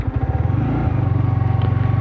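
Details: Yamaha R15 V3 motorcycle, fuel in tank, started running badly after rain, power cutting out and stalling repeatedly; low chugging idle wavering in pace, shaky beat about twenty per second: misfire near stalling, cause not confirmed.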